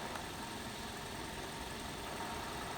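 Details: 2006 Toyota Avensis petrol engine previously misfiring on cylinder 3 (P0303), after replacing the faulty part and retesting coil current on a scope: quiet, steady idle with no stumbles or uneven beats; misfire fixed.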